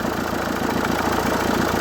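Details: Renault 1.5 dCi K9K diesel at idle, with a rough, rattly whirring layered over the firing beat. Worn idler or tensioner pulleys, which are then replaced with new ones.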